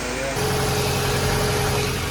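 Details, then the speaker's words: B16-powered 1993 Honda Civic Si after timing belt replacement following a broken belt: smooth, even idle with steady pitch and no tapping or clatter; running fine, no leaks. "Sounds like it's running just fine too, like nothing happened after breaking that timing belt."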